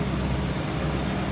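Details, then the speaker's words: 1966 Ford Mustang coupe V8, stock-looking engine bay, hood open: steady, deep even rumble at idle with no misses, knocks or ticks; looks good, sounds good, healthy. "Looks good, sounds good."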